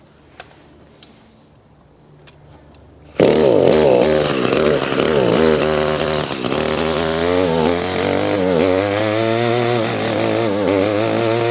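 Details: Echo trimmer after fixing a fuel leak at the fuel line grommet, refueled: pulls over and catches, then a steady high two-stroke buzz with clean revs and no stumbling; normal running.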